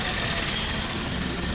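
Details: Car with a dead battery, just jump-started using a portable jump starter: short burst of steady engine running with a busy, hissy background; idling smoothly.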